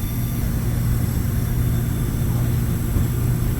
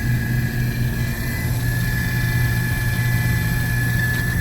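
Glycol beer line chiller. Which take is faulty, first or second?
second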